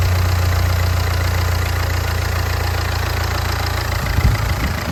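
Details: Ford Fiesta diesel at idle after replacing the whining alternator and engine parts; steady, even diesel clatter with firm low drone, no misses or knocks; runs great.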